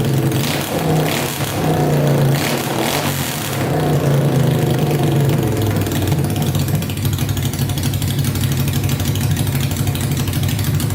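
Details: Honda 500cc engine swapped into a tractor, first start after a carb clean, wiring repair, fresh gas and spark on all 4 plugs (starter solenoid still not working, coolant not yet added): extremely loud, catches, revs briefly, then settles into a fast, steady, even idle with no misses; idles perfectly.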